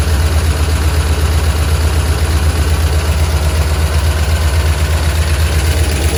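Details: Steady low idle with a light regular tick around 160 a minute riding over it; sounds like valvetrain tick, possibly a lifter.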